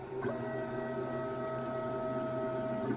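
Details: Brand-new CNC 6040 router running Mach3, Z-axis moving up and down: a steady high whine with several fixed tones, present since day one; the Z zero is also lost. Cause unknown; the manufacturer has not helped.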